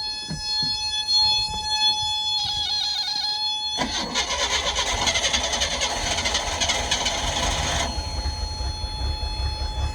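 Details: 1988 Sea Ray boat test motor, crank no start: cranks without catching, then fires and runs busily with a buzzing sound after starting fluid is sprayed in; fuel supply suspected, not confirmed.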